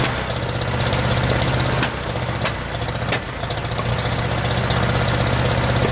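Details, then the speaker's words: Rebuilt 1947 Farmall M tractor after first start: lumpy uneven idle with firing pulses dropping out, no power, running on only two cylinders; cause later found to be reversed plug wires. "it also doesn't have any power because it seems to be running on only two cylinders"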